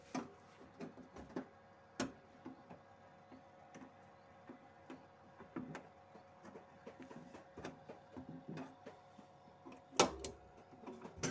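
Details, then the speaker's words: Chest freezer not cooling, fan still running, low faint hum with sharp clicking as the overload protector trips and the compressor starts briefly then cuts out, from overheating, high amperage or failed start; compressor failing to start. "dan terdengar juga ya untuk overloadnya bunyi cetak-cetik teman-teman ini karena adanya over panas atau adanya ampere tinggi atau adanya gagal Star"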